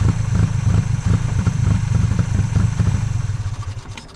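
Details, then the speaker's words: 1995 Honda Acty carbureted petrol engine, cold day, sat 2–3 weeks, needed jump start; idles lumpy and rough then dies, heavy white smoke, fuel pouring from air filter and charcoal canister; owner suspects stuck carburetor float: rough idle. "it idled rough as hell and there's a lot a lot a lot of white smoke and there's a bunch of gas pouring out. Like the carburetor float is stuck."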